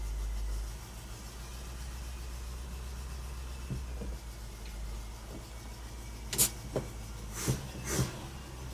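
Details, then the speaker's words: 1985 Toyota pickup, 22R engine, first start after sitting 7 years in the desert: low lumpy idle with an uneven beat and a few clunks, like running on three cylinders; rough idle, owner suspects spark plugs fouled by bad fuel. "Probably need to change out the spark plugs because of the bad fuel that was running through them. It sounds like it's kind of on three cylinders. Like one of them isn't happy. But it runs."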